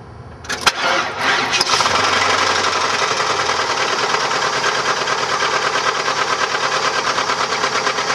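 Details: 1994 Chevrolet LT1 V8 fires up and settles into a heavy, regular knock about three per second over the idle; rod knock from a bent connecting rod.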